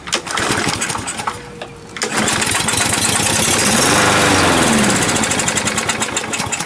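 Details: Used 21-inch Murray push mower with its air filter missing, pull-started: ragged firing bursts, then an uneven, surging run struggling to stay lit. Suspected dirty carburetor needing cleaning.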